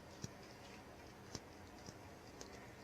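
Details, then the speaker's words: HVAC air handler with soft, sharp ticks about once a second over a steady low hum. No water in the safety pan, no moisture on walls, nothing seen in attic. Cause unknown, possibly a flap or water spraying into the duct. "Okay. Hear that ticking sound?"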